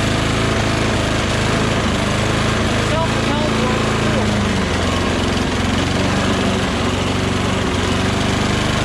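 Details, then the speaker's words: Mower with oil and gas, wouldn't start after three or four pulls, started on starting fluid: small single-cylinder runs unevenly, pitch wandering and surging; erratic rough running, cause unconfirmed. "i shot some gogo juice in there and then it started up however then it started to run really um erratically you know i'll show"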